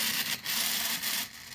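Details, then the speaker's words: Smaller (about 40% scaled) 3D-printed redesign3dp Newman pulse motor prototype running at 7 volts with no bearings; dry hissy scraping that surges and fades as it winds down, the floating rotor rubbing its housing with nothing to centre it. "well since there's no bearings in there it's making a lot of funky noise but it is working it's only at seven volts"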